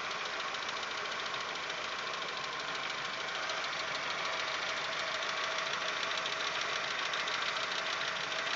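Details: Audi 1.8 petrol, 90 hp, after cylinder head repair, on 15W-40 oil: steady light ticking three to four taps a second over a thin hiss that grows louder and changes rhythm as it warms; owner suspects hydraulic lifters.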